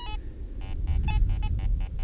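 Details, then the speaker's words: Fisher F22 metal detector, artifact program with no discrimination, iron volume turned down to 15: short evenly spaced beeps, the iron grunt about half as loud as the silver penny's tone; iron tone at reduced volume. "you hear the iron is only about half as loud as the good signal. I brought a silver penny out with me, so there's a silver penny, nice and loud, but the iron it's nice and soft."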